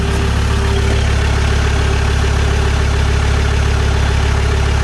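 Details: Land Rover Discovery 2 idling after injector wiring loom replacement: steady, even idle with a smooth low drone, no stumble or skipped beats, checked for misfire, running cleanly on all cylinders.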